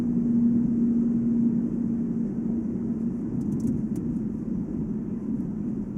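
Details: Volvo S80 on brand-new Goodyear Eagle F1 Asymmetric 6 245/40 R18 summer tyres: steady low hum only at 145 km/h (90 mph) ±5, unchanged by accelerating, braking or cornering; wheel bearing doubted (no play), tyre tread or rim design suspected.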